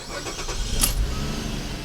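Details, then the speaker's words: GM 3.0L/3.6L V6 after replacing the evap purge valve for P0496, long cranking and rough idle: engine fires almost immediately and settles into a steady run with no wild purge-valve pulsing; normal quick start. "starts right up now I know what the purge valve I didn't happen every time but you can already hear there is not a wild pulsing from the purge valve because it was never actually sealing"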